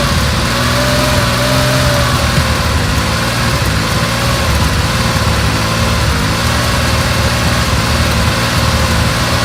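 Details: Carbureted 1970 Porsche 911 T at first cold startup during pre-purchase inspection: loud lumpy idle with an uneven beat and dropped pulses, an obvious misfire plus a felt deep vibration; cause not yet pinned down.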